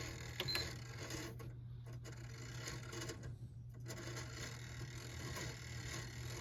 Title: Weird grinding noise ps5